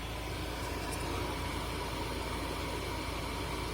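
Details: 2007 VW Passat B6 Climatronic after the no-airflow fix: fan on high gives a steady, even rush of air with no rattle, tick or squeal. The blower is working normally.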